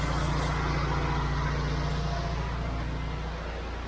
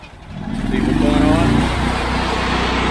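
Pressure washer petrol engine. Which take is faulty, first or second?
second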